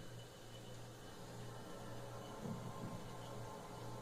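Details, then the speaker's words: Refrigerator just switched off, phone recording inside the freezer: low steady hum with soft trickling, waterfall-like gurgle that owners mistake for a gas leak; it is normal refrigerant flowing through the evaporator, not a leak. "acho que vocês podem ouvir isso aí um barulho de aparentemente parece barulho de uma cachoeira pequeno né uma queda de água parece o barulho de realmente parece ser um barulho de um vazamento de gás"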